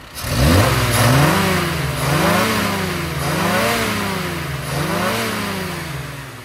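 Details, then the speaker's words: V8 with SU carburettor during on-road tuning, on a BDK needle, after correcting leaning out just past 4,000–5,000 rpm: clean, even pull rising and falling smoothly through repeated revs, no stumble or flat spot; mixture sounds right. "that sounds really good so let's send the owner out in it and hopefully enjoys that"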